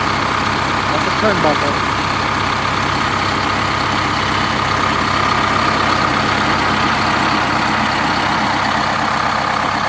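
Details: 1971 MCI MC7 bus, recently installed Detroit Diesel 8V71 two-stroke with automatic, started after oil and filter change and air filter service: even, busy clatter holding a steady idle, no misses, knocks or hunting; healthy idle.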